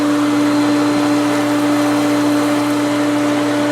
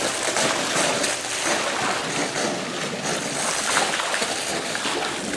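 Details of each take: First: Pool pump at pool opening, after priming, with a leaking fitting tightened: smooth, constant motor hum at one steady pitch with even water rush and no rattles, squeals or surging; it is running normally. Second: Pool solar return line (2-inch PVC) at pool opening, just after the pump was primed: rushing, shushing flow with uneven gurgling surges and no steady tone; a lot of trapped air is purging through the line.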